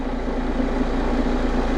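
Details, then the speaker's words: 2019 Vauxhall Vivaro 1.6 diesel after repair of an intermittent no-start, following a glow plug actuator test: steady, even diesel clatter with no misses or knocks and no warning lights or fault codes, so the idle is normal. "Engine starts. No warning lights on. No fault codes present."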